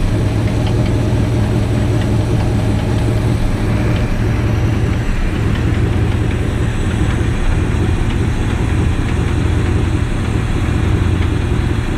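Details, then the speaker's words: Classic petrol car, first start with water added to radiator, not smoking: steady even low rumble with no misses or knocks; normal idle. "She's ticking over."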